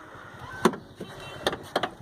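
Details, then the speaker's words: Fiat Uno Vivace Way door shut with the window closed: sharp, tinny clacks and a quick rattle as the glass knocks against the metal door frame. The cause was a loose piece inside the door that normally stops the noise. "o barulho é esse barulho do vidro bater no ferro isso incomoda bastante"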